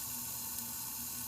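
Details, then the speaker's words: 1992 Honda Accord (CB7) built H22 engine, leak-down test, engine off: steady airy hiss of air escaping from number one exhaust port, valves not sealing (about 65 one side, under 50 other); air also from radiator cap; head going to machine shop. "and you can hear right in here that there's air coming out of the number one exhaust port but you see the valves they're like they're not a ceiling all the way"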